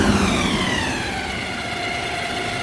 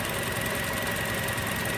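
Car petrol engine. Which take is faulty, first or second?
first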